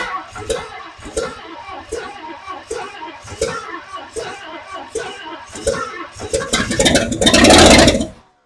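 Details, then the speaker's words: 1959 Edsel with new motor and transmission, first cranking attempt on a nearly dead battery: slow steady starter churn with regular compression beats but no start; ignition timing too retarded, fixed by advancing timing and tightening a loose fuel pump connection. "it's almost dead as you can see it really wasn't first started that was the first attempt at cranking it over what I had to do was I had to advance the timing on it"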